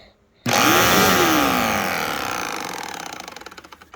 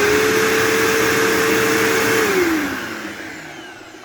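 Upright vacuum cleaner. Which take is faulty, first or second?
first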